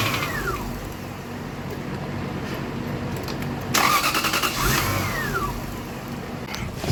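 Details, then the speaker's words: 2000 Lexus GS400 towed in, fuel pressure regulator already replaced, no check engine light: engine catches with a short rise then fades straight back out instead of idling; crank and stall, throttle body suspected. "this has a no it has a crank no start from what the shop told me that they crank it it hits it it it it starts and it shuts down immediately"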